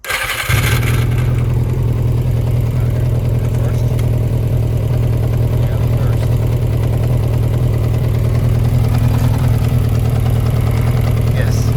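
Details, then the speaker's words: 1992 Yamaha XJ600 Seca II after carburetor work: catches and settles into an uneven, stumbling idle rather than a clean four-cylinder rhythm. One cylinder isn't getting hot and new spark plugs are coming. Rough running, cause unconfirmed. "So, that was a good run. It idles. Something's wrong with this guy because it's not getting hot and I have new spark plugs coming."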